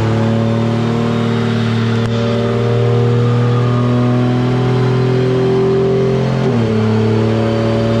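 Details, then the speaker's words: 2JZ-swapped Toyota 4Runner with new fuel system and mechanical fuel pump, on dyno under boost: steady high-revving tone that wavers and breaks up near the top; suspected running fat or plugs, plugs then changed; high-rpm misfire. "It's still running fat too, I bet. I wonder if the plugs are... Let's change them. You got them. You hear it starting to break up at the top."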